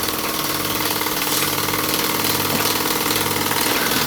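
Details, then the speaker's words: Newly assembled Myfordboy wobbler model steam engine running on steam from a low-output boiler, pressure unknown: soft, even chuffing at about three beats a second under a steam hiss, very quiet and smooth; healthy engine. "Now you can hear how truly quiet this engine is. Isn't that amazing? It's just purring along."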